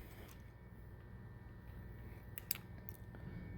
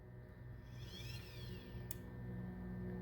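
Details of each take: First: 4-wire Honeywell hydronic zone valve: quiet motor hum with sharp, uneven clicks as the chewed, stripped teeth on the motor head slip, so the valve can't close the end switch. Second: you hear the click and then it comes back. So once again, I'm going to open it, and you're going to hear that it's silent as it turns the gears here.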